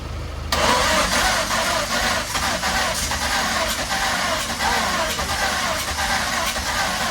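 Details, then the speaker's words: Mk1 Ford Fiesta with a swapped Zetec turbo engine on an adjustable ECU, start fuel reduced after earlier raw fuel when cranking: long, rough, uneven crank, stumbling and trying to fire but never idling; hard start. "It wanted to go. I'm just going to quickly check a few things in the ECU and we'll try again. But it was real close. It was nearly there."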